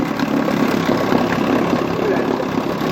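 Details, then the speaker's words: 1959 Johnson QD-20 10 hp outboard idling after the thermostat was removed and dirty gas drained from the carburetor via the high-speed needle; new coils, points, plugs: steady, even putter with no misses or knocks, idling cleanly. "I pulled the uh high speed out to drain the carburetor there's a lot of dirty gas inside it. So got it all out it seems to be running fine."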